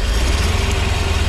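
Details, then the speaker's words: Truck engine idling: low rumbling with an uneven, stumbling pulse that drops beats regularly, a pretty bad misfire from faulty spark plug wires. "you can definitely you can hear the misfire here it is pretty pretty bad"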